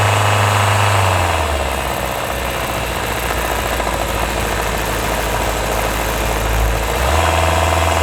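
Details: 2024 Hyundai Tucson NX4 Hybrid, microphone mounted directly on top of the engine: steady drone with a fine, regular rattle about three per second, heard only when the combustion engine runs under load uphill; hard to locate, possibly considered normal.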